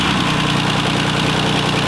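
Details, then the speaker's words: 2007 Jeep Wrangler JK 3.8-liter V6 after alternator replacement: smooth even idle with a steady low hum and no alternator whine from the engine front; repair complete. "This is sounding so much better. You shouldn't hear anything from your alternator."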